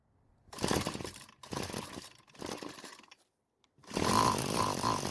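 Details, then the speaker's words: Curbside-free Bolens string trimmer with a single-screw carburetor: the screw was turned clockwise to lean it, and the engine surges raggedly, cuts out between bursts, then stalls from a too-lean mixture. "so initially i tried turning it clockwise to reduce the fuel flow and it killed the engine as it was dying i tried saving it by turning it back but i wasn't able to catch it"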